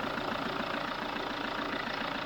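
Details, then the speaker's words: Pickup diesel engine after valve replacement, compression fixed, warming toward 65–70 °C, steady even idle clatter with no knocks or stumbles; running normally. "Scania aqui porque ela tá funcionando perfeito tá pessoal"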